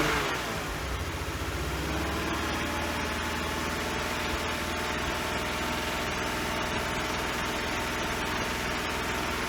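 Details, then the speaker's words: 1999 BMW 328i after a new fuel pump, battery and intake hose: starts and runs with an uneven wavering hum but won't idle without throttle; owner suspects a missing cylinder or leftover bad fuel. "dude there you go it'll start it up it'll run it won't idle uh i got to keep the keep giving it the gas to keep it running"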